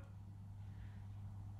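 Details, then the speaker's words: Toyota 1UZ VVTi V8 in a 1947 Ford pickup with Link Storm ECU, ignition on, engine off: quiet steady low electric hum from the drive-by-wire electronic throttle body, which sometimes hums like this when powered. "throttle sometimes makes a humming noise like this and when you're working drives me bonkers"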